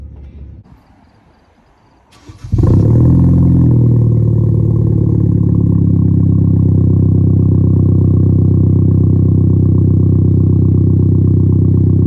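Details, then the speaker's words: 2013 Hyundai Genesis Coupe just fitted with an ISR performance downpipe and test pipe: engine cranks and catches after two seconds, then settles into a deep, steady, even rumble, no knocks or rattles; normal exhaust note. "But yeah, now we're gonna hear it with the new ISR down pipe on."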